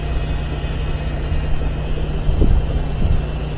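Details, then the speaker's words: Older GE washing machine after a new drive motor and belt were installed: steady low hum as the tub spins up evenly, pump on, no grinding or clunking, where before it would not turn, confirming the old motor was the fault. "I see it's shaking I see it turning you can see the wheel wheel turning pump is on yeah see it wouldn't even do that the other day"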